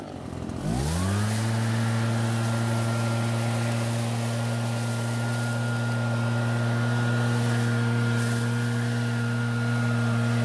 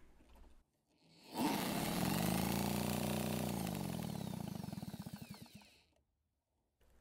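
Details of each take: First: Nearly new Redmax EBZ8500 backpack blower that kept flooding and wouldn't start; after drying out and starting unchoked for the first pulls, it catches cleanly, revs and holds a steady even note with no misfire, running fine. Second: Redmax EBZ8500 backpack blower, almost new, quit after about 30 minutes of use and won't restart: drill spins engine with steady whirr and even pulsing beat, no firing; possibly flooded, some fuel expelled from exhaust port; sheared flywheel key suspected.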